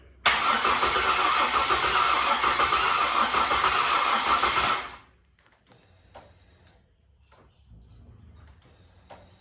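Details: Ford BF XR6 with swapped-in Barra engine, first start attempt, about 10 litres of fuel added, fuel pump noisy: engine cranks evenly about three and a half beats a second for four seconds but never fires; ECU plug later found half connected.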